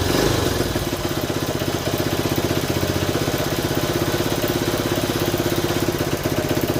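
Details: 1970 Honda Trail 90, non-runner said to have overheated, first start: single beat about four pops a second stumbling and hunting unevenly; choke had to be feathered, owner suspects a clogged pilot jet, debris later found in carburetor.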